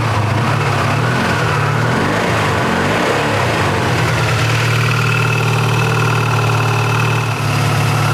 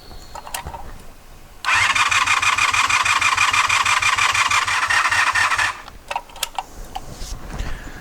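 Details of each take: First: 1984 Honda VF500F Interceptor after valve adjustment and carburetor revival, started on choke: a brief uneven start settles into a steady, even low burble with no misses or stumbles, a normal idle. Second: 1984 Honda VF500F Interceptor after carburetor O-ring rebuild: about four seconds of brisk, even cranking at roughly three beats a second with no firing. Fuel pump seemed not to run; owner suspects a poor connection.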